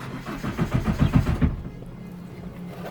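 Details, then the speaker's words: Peugeot 307 that cranks but won't start; the immobilizer may engage if the battery terminal is touched while cranking. The starter cranks in uneven pulses, about four a second, for about a second and never fires. Crank no start. "so it's gonna anton won't start it's not even behaving like something i want to start at all"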